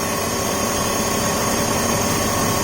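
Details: 2004 BMW 530i after PCV system replacement and reconnecting a knocked-off throttle body connector: smooth, steady idle with even hiss and whir, no misses, knocks or hunting; check engine light cleared, idling normally.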